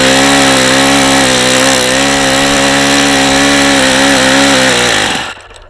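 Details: Vintage Saito FA-45 ringless model engine with a two-piece head, about 1983, well worn but with strong compression: a high-revving buzz with a rough, gravelly edge, then a clean cutoff. The crankshaft bearings are badly worn.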